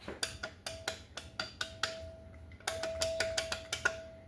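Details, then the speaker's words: Removed faulty alternator from a Camaro (battery had been running the car), pulley spun by hand off the engine: dry metallic clicks at four or five a second, unlike a good unit; alternator clicking internally, being replaced. "That's uh that's relatively new. You can see it. No good. Versus how this one sounds. See? No. Click click click."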